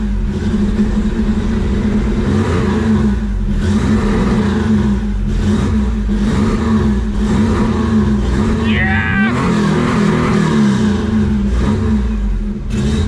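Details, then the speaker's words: 1987 Nissan Pathfinder VG30i with aftermarket cams, freshly converted to VG30E EFI, running for the first time: a loud, throbbing run that surges and wavers instead of settling. The owner says the timing and a few other things still need work; rough running. "it's real close we I need to work on some timing and a couple things but she's pretty much ready to fire here really wants to Randy"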